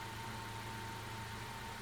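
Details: 2015 Honda Accord four-cylinder Earth Dreams engine after replacing belt tensioner pulley bearing: quiet, even idle with no supercharger-like whine; confirmed fix.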